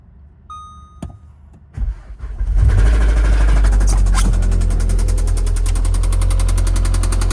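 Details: 2018 VW Golf R engine after hard driving: fires up and settles into a rough idle with a steady knock about four per second over the low rumble; suspected bottom-end knock, block later replaced.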